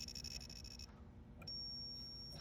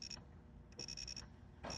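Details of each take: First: Williams System 11b Black Knight 2000 pinball, logic probe on lamp column connector 1J7 pins: quick steady chirping pulses on one line, then a flat unbroken tone on the next with no drive signal; failed lamp column driver transistor on the board. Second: Williams System 11b Black Knight 2000 pinball lamp matrix, after replacing a transistor thought to be the dead one: the logic probe gives crisp high beeps in quick bursts with pauses between groups. The column lines are now strobing properly.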